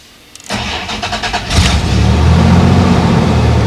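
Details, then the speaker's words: 1989 Dodge Dakota started dead cold: cranks briefly with even pulses, then catches at once and settles into a steady, smooth idle; healthy cold start. "right to life and that's pretty much always the case with this truck i've never had this baby fail to start"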